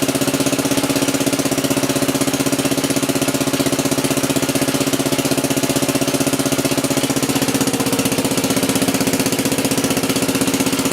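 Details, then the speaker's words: Wheel Horse 701 lawn tractor single-cylinder engine after replacing the ignition coil with an external-resistor type: even, steady beat at a brisk idle with no misses, knocks or rattles; running cleanly. "yeah it sounds good I did have to change the coil on it before I even attempted to fire this thing"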